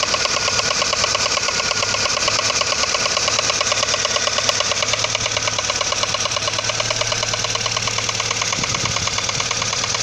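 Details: Audi 80 engine: sharp metallic tapping at about three per second, evenly spaced over a steady idle; engine knock, cause undetermined.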